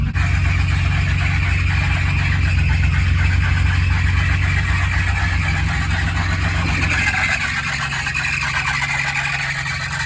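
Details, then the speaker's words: BMW E30 at idle, heard at the front of the engine before repair: harsh, steady high squeal over the low rumble from an alternator belt that is too loose and slipping; fixed by re-tensioning the belt. "Et là, on va entendre un vilain queinement et on va aller devant au niveau du moteur."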